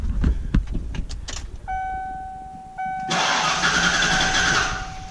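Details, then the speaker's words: 1995 Ford F150 4x4 cranked with a spark plug out and a rag over the hole after Seafoam treatment, before a compression check: starter whines steadily, air hisses, turning over light and uneven. Owner suspects compression is still low. "And I can tell just from there how it was turning over. The compression is still down, I think."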